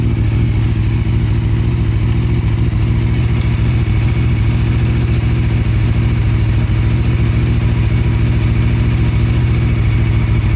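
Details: Aprilia RSV4 RF started for off-season maintenance: loud, steady low idle rumble with an uneven throb; abnormal engine noise, cause unclear.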